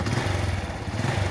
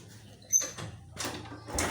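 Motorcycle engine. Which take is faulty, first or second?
second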